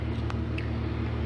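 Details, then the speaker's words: 1996 Jeep Grand Cherokee Laredo after new fuel pump and filter replaced a failed pump (crank-no-start). Key cycled about 8 times to prime the fuel system before starting; now a smooth, even, steady idle hum with no stumble. "And as you can probably hear, it's running. So had to turn the key off and on about 8 times to get the full system primed with enough fuel to start."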